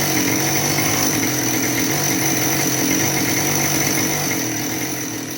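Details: Husqvarna 572XP AutoTune chainsaw with good compression holds a fast, steady high idle that never drops back; suspected bottom-end crankcase air leak, possibly PTO-side bearing, versus carburetor or solenoid fault, brake-clean test inconclusive, pressure/vacuum test planned.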